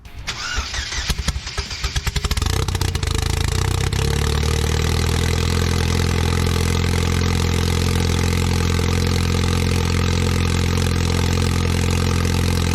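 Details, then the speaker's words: Replacement used Cobalt LSJ-T engine in a car called the Goblin, after a swap and a fix using a salvaged gear: quick crank, firm catch, strong steady idle with no knocks, very high oil pressure. Normal idle. "Give it all the sauce. It's making a metric ton of oil pressure. Great success."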